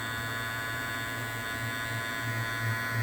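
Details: New Andis Master cordless clipper after reseating the lid in its groove to reduce vibration: steady low electric buzz with no rattle or chatter.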